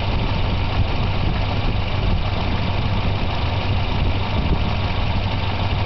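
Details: Volvo 240 idling after replacing plug wires and intake manifold gasket, better but not perfect; steady pitch with a low thrum pulsing slightly unevenly, mildly rough idle with no clear knock.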